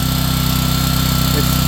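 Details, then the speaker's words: Home standby generator warming up on half choke after start, output off; quick, regular putter at steady speed with faint higher hum, choke to be retracted next; normal warm-up. "starting to warm up. Starting to warm up a little bit. Then you can retract the choke."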